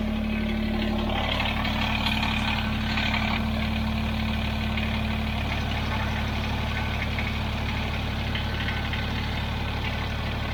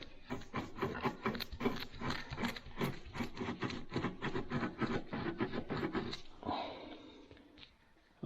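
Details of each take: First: Kubota BX23S tractor with snowblower on quick-connect, after fixing the bearings that caused chattering and vibration; steady even idle drone with no grinding or rumble from the drive; normal running after repair. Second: Kubota BX23S snowblower drive unit on the bench, shaft turned by hand: a rough, gritty grinding that brings the shaft to a stop, a failed pillow block bearing with a broken seal.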